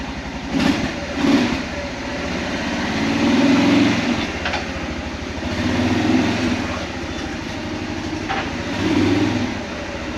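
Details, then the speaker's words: Kawasaki Prairie 400 single-cylinder ATV after engine rebuild with replacement cylinder: revs up in swells and settles cleanly, no knock or misfire; running fantastic, only a gas leak from carburetor overflowing, float needs adjusting; normal running. "it's running fantastic the only problem is there's a gas leak the carburetor keeps overflowing so I need to adjust the float which isn't a big deal"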